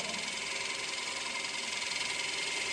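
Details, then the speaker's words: Wood lathe finishing cut on the bowl to remove high spots, bottom about 5/8 inch, taken slower for a cleaner cut: soft steady hiss with no chatter or catches, quieter with better shavings. "This cut's going to be slower, so I get a cleaner cut."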